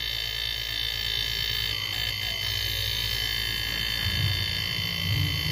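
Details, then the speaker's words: Homemade air compressor built from a refrigerator compressor: steady motor hum with an uneven croaking pulse about three per second; it no longer draws air in but blows back out the intake, building almost no pressure. "puxando o ar ainda Olha só galera tá vendo não tem pressão para puxar já tá soprando para fora tem que ficar soprando agora não tá mais puxando então a pressão que ele faz é pouquíssima"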